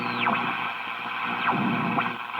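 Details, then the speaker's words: 1941 Crosley B36-BS battery farm radio, serviced and run from a battery eliminator, tuned without an external antenna: hiss and static with whistles sweeping while tuning, no station locking in; weak reception due to no antenna. "I just can't pull it in because it doesn't have the antenna for it"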